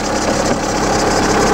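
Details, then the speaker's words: VW Polo 9N3 started with a jump-starter just after start-up: small petrol engine ticking over evenly, no misfire or lifter clatter; smooth healthy idle. "so von ersten Geräuschen her würde ich sagen läuft ganz gut"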